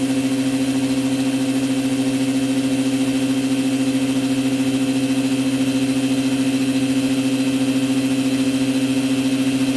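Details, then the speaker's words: Orazio air compressor, new out of the box, on its first test run with air hose and blower gun fitted, filling up to 8 bar: steady mid-pitched drone with a fast even pulse of about three per second, no knocks; normal running. "And let's fire it up and see how long it gets to get up to 8 bar of pressure."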